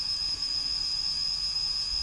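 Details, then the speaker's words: Rakon 66 quad, all four new motors spinning together: steady high whine, even in pitch and level, no grit or rattle; healthy. "And here's all 4 of them spinning up. You see all 4 of them are spinning."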